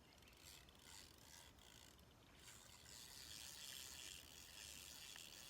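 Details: Dry, raspy clicking about four times per second while retrieving a Jitterbug lure with a bass on, over water noise; it comes from the old reel itself, not the drag.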